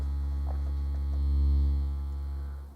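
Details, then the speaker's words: Aaron Sub-240 powered subwoofer fed a 70 Hz tone then music into a speaker; low steady tone comes through coarse and buzzy instead of clean, distorted amplifier output, cause still being traced on the board. "but it is it is distorted so let me kill that so we'll listen to a normal audio track through it and oh yeah it's distorting"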